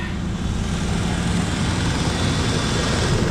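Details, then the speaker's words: 1994 Mazda B4000 4.0 OHV V6, manual, started after sitting for months before being pulled for a swap: briefly sputtery, then clears to a deep, even rumble with no miss or knock, steady idle; a good running motor. "Oh yeah, baby. It's fine. It's fine. Little sputtery there. She cleared right up."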